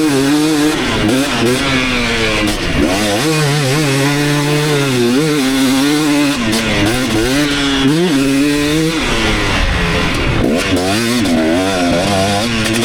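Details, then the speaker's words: 2019 KTM 250SX two-stroke after Lectron Billetron 38 Pro tuning, ridden under load: crisp pickup, no pinging between rev changes, running right; only a little detonation late in session when hot. "all right so I think I really hit the sweet spot that last one pretty much no detonating anymore"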